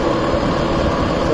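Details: Old warehouse exhaust fan before repair, original motor and blower bearings due for replacement: a rough, gritty rumble runs steadily under the fan with no clean tone, pointing to worn blower bearings.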